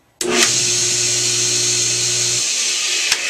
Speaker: all right so there you go that's a Hayward Super Pump that obviously needs some motor bearings right Robert